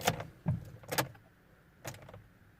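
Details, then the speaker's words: Citroën Nemo with SensoDrive semi-automatic gearbox, off road for some time, battery had been depleted (4.5 V) and charged: key turned gives only a few short whirs and clunks from the gearbox actuator, starter never turns; no crank. "And I get nothing. Doesn't even crank."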